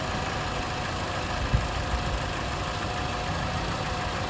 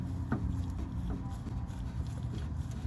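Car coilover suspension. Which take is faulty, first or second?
second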